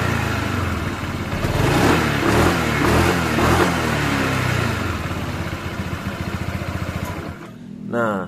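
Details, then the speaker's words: Honda PCX 160 after fitting Yamaha NMAX double clutch linings, lightened rollers and a glued roller housing, at 2000 km: revs up and settles smoothly, a steady even drone with no marble-like rattle from the CVT case as before; the transmission sounds healthy. "PCX saya halus teman-teman nggak ada suara kelereng nggak seperti sebelumnya"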